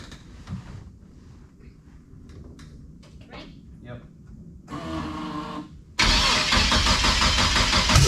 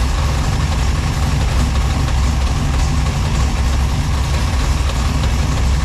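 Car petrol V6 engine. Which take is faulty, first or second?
first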